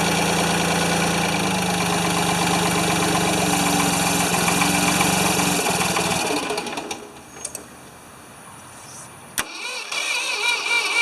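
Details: Free Ford 2600 tractor on first start attempts, smoking as it burns oil off, with plug wires popping off. It runs unevenly for about six seconds, then sags and dies. The owner says fuel delivery is not feeding enough fuel.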